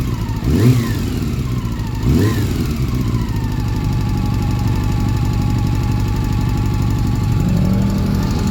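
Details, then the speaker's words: Honda CB400, long-stored with rusted head and valves, carb and harness redone; running steadily with loose uneven tapping from the top end; first suspected tensioner or chain guide, valve clearances found too wide; valve tick from excessive valve clearance. "Lakas nasa ibabaw natin natin yung tunog na yan putik na yan oh. So ito na nga ah nag-valve clearance ako putaan lumaki yung mga valve clearance nito."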